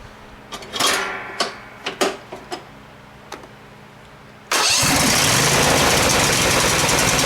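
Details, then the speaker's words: Craftsman FS 5500 lawn tractor after carburetor cleaning, started on choke: a few sputtering turns, then it catches and settles into a steady, even run; normal running. "I don't want to run it too long. I think we got her fixed."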